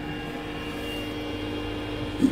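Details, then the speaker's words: Trianco Aztec electric boiler with unvented cylinder, no-hot-water fault, after wiring conversion: switched on hot water only, a click then the pump runs with a low even hum; unit activated and fully operational, normal pump running. "and i've got a back on hot water only and hopefully should it start up again there's a click pumps running"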